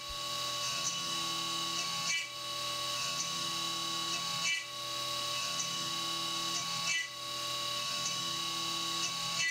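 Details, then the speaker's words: CNC 3D machining an AR15 gas block lightening pocket at 2% step-over: steady spindle whine with sharp chirps every few seconds as the end mill engages full width in right-angled corners, flexing then breaking. "and you can hear it's getting chirpy in those right angled corners and especially in the top there where it's actually it's actually uh engaging a full width for a fraction of a second"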